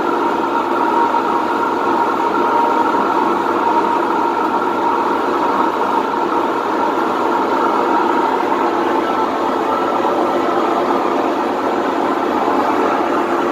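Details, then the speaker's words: Whirlpool WTW4950XW3 washer on drain cycle with the drum spinning: continuous deep, even roar with no rhythm, typical of worn drum bearings. "pero vamos a escuchar este sonido que es lo considero como típico de una lavadora con problemas de rodamientos"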